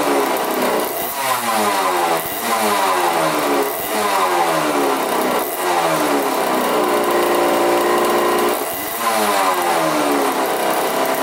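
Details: 1985 Yamaha YZ80 two-stroke dirt bike, freshly rebuilt, first start on 41 premix: crisp ring-ding climbs and drops through repeated throttle blips, with clean pickup and no bogging or knocking. Runs really good.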